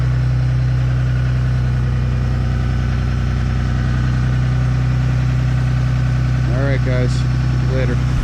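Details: Ram Cummins 6.7 diesel, plugged in, warming up in 30-degree weather at high idle around 1100 rpm with exhaust brake on, recorded outside; deep steady drone with even clatter. Normal high idle.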